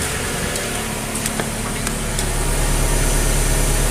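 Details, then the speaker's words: 2014 Nissan Sylphy after P0303 cylinder 3 misfire repair, heard from behind the exhaust: steady, even exhaust note at idle with a low hum, earlier pop-pop-pop gone; smooth idle, check light off. "You're not hearing the pop, pop, pop, pop, pop like that before, so we're gonna come here now."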